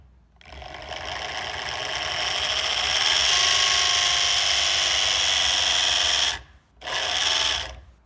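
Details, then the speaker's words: Evolve One electric skateboard drive motor failed after a couple of months of riding, turns roughly with the belt off, before replacement: harsh gritty high whine climbs as the motor spins up under power and cuts out briefly; failing motor grinding internally. "is not what it's supposed to sound like so it is grinding on something"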